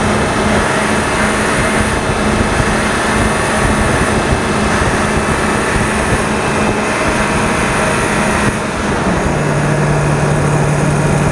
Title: W-22 8.1 making buzzing noise